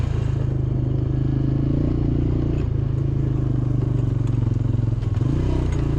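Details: Diesel engine of 307SSR excavator after overheating repair, even rumble dipping and recovering while pushing dirt, no knocks or misses; runs normally under load, water temperature steady, overheating fixed.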